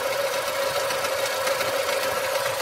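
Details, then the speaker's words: 2024 Lada Niva Legend 4x4 at 20,000 km, idling before full warm-up: uneven metallic knock over a steady hum, like rail joints, that disappears when revved then returns; owner trying an oil additive, cause unknown. "Вот такой вот металлический звук. При этом, когда газуешь, он пропадает."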